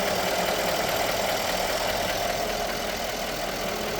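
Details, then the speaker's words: 2015 Mercedes-Benz GLE 500 V8 idling steadily with an even pulse, no stumble, after repair of cylinder 5 misfire caused by low compression from a leaking valve in the head. "النتيجه النهائيه والحمد لله ماكينه صافيه الامور طبيعيه ولله الحمد"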